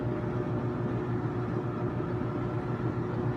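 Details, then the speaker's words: Kenmore stackable front-load washer and dryer running together: steady even low rumble and tumbling drone, no knocks or scraping; normal. "and it starts right up but this is what the washer and the dryer sounds like what they're both running"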